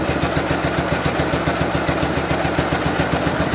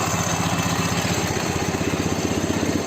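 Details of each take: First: Ural/Dnepr twin motorcycle with "bomba" muffler, just after an engine swap, during carburetor and idle adjustment: lumpy, uneven raised idle at about four pulses a second with gaps between them; running on only one cylinder. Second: Ural boxer engine in a Dnepr motorcycle after engine swap, with Ural generator, valves adjusted and ignition set, "bomba" muffler; steady even two-cylinder beat about four pulses a second, firm low thump, no misses: normal idle.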